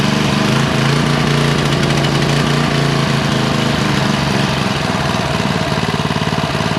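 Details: Briggs & Stratton Industrial Plus single-cylinder engine that sat 31 years, first run after carburetor service for a fuel puddle: pops along at a fast, even beat with no stumbling; runs normally.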